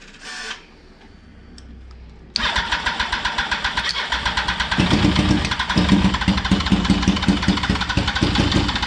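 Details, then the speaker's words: 2004 Yamaha R1 first started after 10 years, cold, with injector spray and spark confirmed. The starter grinds briefly, then it catches and runs with uneven, stumbling, wandering beats; a rough idle, owner says it needs warming up. "Headlights going. She's running. She's a bit rough. She needs to warm up, obviously."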